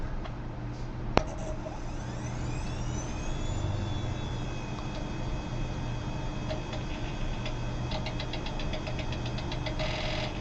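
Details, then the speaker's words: 360 Systems Instant Replay hard disk audio soundboard, about 1995–97, original SCSI hard drive, condenser mic: rising whine for about two seconds then steady high tones over hiss; aging drive whine, replaced with SCSI2SD memory card. "But the other problem is that like every button I press, well, I mean, besides the whining sound that you hear right now, it's making this high pitch thing."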